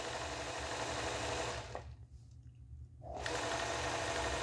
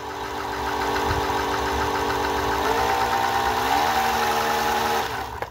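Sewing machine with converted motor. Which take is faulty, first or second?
second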